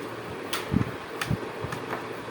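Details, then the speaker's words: Laptop (Dell-type) that previously gave continuous 5-beep pattern at startup, after BIOS/CMOS battery replacement: soft fan hum and light clicks at power-on, no beeps; normal startup, BIOS then prompts to reset time and date. "तो यहां प देखिए जो पहले आपको beep दे रहा था beep आनी बंद हो गई"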